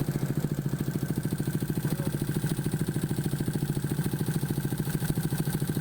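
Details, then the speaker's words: Honda XRM 125 fuel-injected 4-valve single, after replacing the timing chain tensioner: idling in quick even pulses about thirteen a second with only a light normal cam tick and no chain rattle; normal idle. "So goods na yung 4 valves natin, wala nang ingay dun sa timing chain or sa tensioner. Doon na lang sa cam. So normal na ingay na lang yan mga do."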